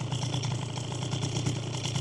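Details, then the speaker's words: Piaggio Typhoon two-stroke scooter, warm after riding, idle screw set about 1.5 turns out: steady, even buzzing idle with quick regular pulse, no hunting or stumbling; normal idle. "and now she's idling really smoothly, but if she wasn't, you'd just mess with this screw right here."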